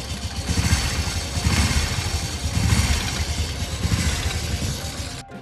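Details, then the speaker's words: Honda Revo Fit F1 (fuel-injected) motorcycle that ran out of oil, running before teardown: rough, uneven beat with loose clattering knocks; damaged piston, connecting rod, crank bearing, cam chain and valve stems/seals found. "Suaranya sangat kemerangsang sekali ini, sangat ngeklek ngeklok ngoklok, nggak karuang genai ini"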